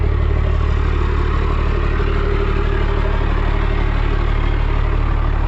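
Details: Cummins 12-valve dually just started after a new fuel filter, oil change and new front brakes: steady, even diesel clatter at idle, about 158 knocks a minute, no misses or odd knocks; healthy idle.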